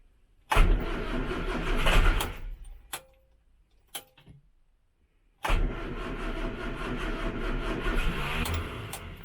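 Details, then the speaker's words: 1968 Morris Minor 1000 first start of the year in cold weather with choke: sluggish laboured cranking bursts, no catch; both batteries seem low. "so apparently both that battery and that battery seems a bit low"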